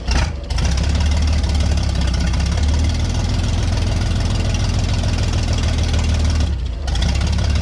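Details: Vintage Scoopmobile LD5P articulated loader, thought late 1940s–early 1950s, after 15+ years sitting, choke used, coolant unknown: short stumble on catching, then steady even low rumble; running properly.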